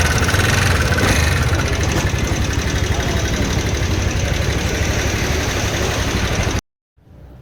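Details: TVS Ntorq 125 BS6 race edition scooter engine noise problem: a rapid, steady tapping about four per second over the idle, pointing to worn rockers, a slack timing chain and tensioner.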